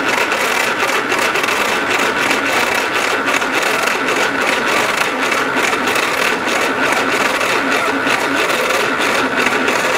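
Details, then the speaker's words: Old flat-fender Jeep engine cranking after a new fuel pump was fitted and fuel reaches the filter: sluggish rhythmic churn, cranking slower than it should without firing; starter solenoid or starter suspected. "the starter sounds terrible this engine is getting it's not cranking over the way it should so whether that is the starter solenoid or the starter itself um something there is not happy"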